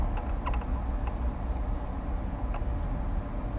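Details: 2006 Ford Expedition with a newly replaced AC blower motor on speed 1, drawing about 2–4 amps: steady, even low whir with no ticking or rubbing over cabin noise; the new blower runs smoothly and normally.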